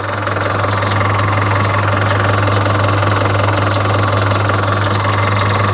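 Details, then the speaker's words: Volvo Penta KAD32 boat diesel with DP290 outdrive, running warm at full throttle, injection pump timing suspected retarded: steady low rumble with an even beat near three per second, no knocks or misses; engine running normally. "yeah that's an unusual sound sounds like an engine running looks right to me"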